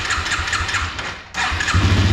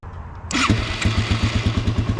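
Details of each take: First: Yamaha 225XT dirt bike, cold start on choke, not yet warmed up: fires after cranking, stumbles and nearly dies, then catches with an uneven, lumpy idle; rough cold running and hard starting blamed on dirty carburettor, before cleaning. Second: Yamaha 225XT dirt bike after carburettor removal and cleaning: short crank, then catches at once and settles into an even, regular idle thump; clean, healthy start.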